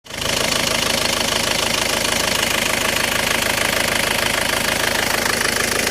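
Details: Isuzu 4JA1 diesel with hard starting and low power: harsh run with a sharp, fairly even knock about twice a second over the rattle; rough running, cause unknown.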